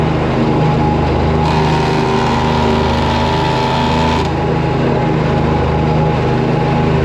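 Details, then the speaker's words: Riding mower running steadily while mowing; a harsher, raspier layer rises over the drone for several seconds then fades. Unexplained deck noise; owner suspects the shut guard or something under the deck, not yet checked. "That noise was, but we got to look at that. It might be because of that guard is shut. There might be something under there."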